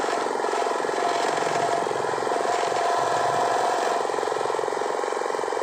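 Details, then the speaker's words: 2500 generator (genset) after repair of an oil leak, with the magneto/flywheel side opened to reach the suspected oil seal: quick regular beat of roughly four pulses a second, steady with no knocks or surging; engine idles cleanly. "ini mesin sudah bagus warnanya sudah halus tidak ada masalah tadi masalahnya cuma ada isi aja oke"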